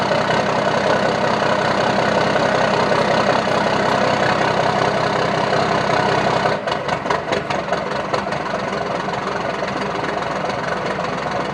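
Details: 1992 Dodge D350 Cummins diesel after sitting about 14 years, running after jumping the fuel shutdown solenoid and an ATF-filled new fuel filter: even diesel idle clatter, revs drop and settle; good pressures, not charging.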